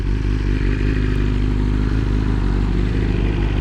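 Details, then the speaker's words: BMW S1000RR on first ride after the drain plug flew out on the interstate and oil went everywhere: steady even engine drone under load over road rumble, no extra noises, knocks or rattles, no error codes; motor healthy. "everything sounds good in the motor no extra noises no error codes no messages going out this way is probably going to be a pain"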